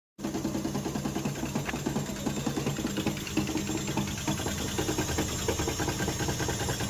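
Over a low motor hum come irregular light ticks and rattles with no steady rhythm: an abnormal running noise, source unclear.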